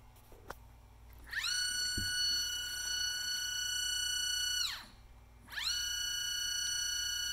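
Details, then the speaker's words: NEMA 24 5 A stepper on a Stepperonline CL57Y closed-loop driver, bench tested with Centroid Acorn at 2500 rpm, repeating +100 to 0 moves. Clean whine sweeps up to a steady high tone, holds, drops and repeats, no lost steps: normal stepper operation. "so you can see as the line keeps repeating you know positive 100 back to zero and we are not losing any steps"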